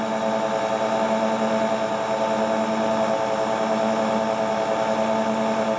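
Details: Hotpoint Ultima WT960 washing machine (7kg) test spin after repair with a brand new replacement drive belt; smooth, steady high whir with even hum, no thumping or scraping; drum spins cleanly, normal spin cycle.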